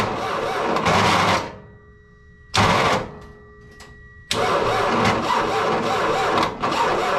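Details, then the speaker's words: Kei truck (bought as a parts truck) with a battery from 2022 whose voltage was not checked, starter connectors cleaned: the engine cranks in short bursts that cut out with quiet gaps and never fires. The starter disengages while cranking; low battery voltage is suspected. "It did crank over better that time. Um, I think right now we're just dealing with the low voltage. It'll crank over a few times, but it sounds like the starter disengages some."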